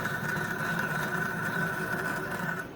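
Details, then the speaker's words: 2022 Yamaha YFZ450R fuel-injected, fuel pump heard at key-on with tank cap removed: high thin whine about two and a half seconds, wavering, bubbly and uneven rather than smooth; failing fuel pump. "but it doesn't sound very smooth. You It's kind of like bubbly. Like that's usually one indicator that it's probably gone bad."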